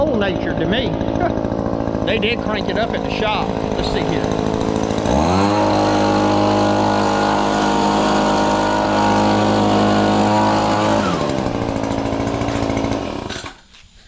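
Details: Newly bought Echo PB2520 two-stroke blower: it catches, revs to a steady high buzz for several seconds, then drops back cleanly, running strong and even.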